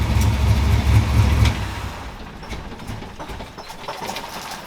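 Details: 1964 Impala SS V8 after carburetor rebuild, idle held around 1000 rpm: drops from a heavy rumble into a steady, even idle with no misses; normal idle.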